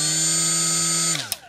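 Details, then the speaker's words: Milwaukee M12 die grinder with an unbalanced Roloc disc: loud, steady buzzing whine, then it cuts off and spins down as the out-of-balance disc shakes the grinder. "this one just by itself is not balanced so it makes the unbelievably no unbelievably bad noise"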